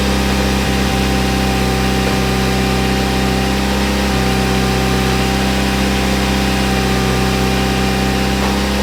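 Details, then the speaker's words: Mitsubishi Evo 8 MR after a motor swap, first time out of the garage: a smooth, even idle with a steady low hum, no knocks, ticks or misses, and no leaks. Normal idle. "so here she is boys no leaks runs good Idol's good"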